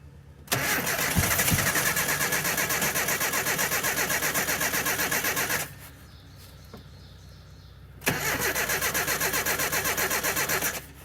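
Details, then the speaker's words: Abandoned 1984 Nissan/Datsun 720 Z24 four-cylinder, 8-plug wasted-spark, first start after ~20 years sitting: long even starter cranking with a few weak putts, never catches; owner unsure if too little fuel or flooded, cranked with no throttle. "I heard the putt-putt. Maybe I was too conservative with the gas."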